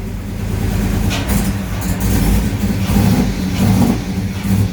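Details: 1970 Coronet with swapped 6.1 HEMI V8, first start after reworking the computer, no coolant yet: rough, lumpy revving with uneven beat and choppy exhaust pulses as throttle is blipped; misfiring, needs tuning.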